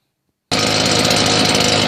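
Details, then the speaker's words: Husqvarna 580BTS backpack blower after repairing throttle-assembly kill switch wires, test run: engine catches and runs steady strong raspy two-stroke buzz, no stumbling or surging; previously would not cut off, now fixed. "that's it it wasn't cutting off at first nothing at all so that's it's fixed"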